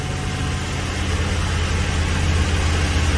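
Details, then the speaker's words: 2006 GMC Savana 4.8 L V8 automatic at idle: uneven, stumbling beat from a cylinder 8 misfire caused by wiring, a suspected short circuit after earlier parts replacement; ECU pulses present. "ok pero seguimos viendo un miss fire ahí seguimos viendo mis fallas"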